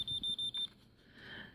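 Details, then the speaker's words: Kidde 0914 smoke detector with broken sounder, taken from an abandoned house, 9-volt battery left in about two and a half years: four short, thin high beeps on the test button, far too faint. Failing sounder, drained battery. "because it's like I pushed the test button it's not even remotely loud like at all but"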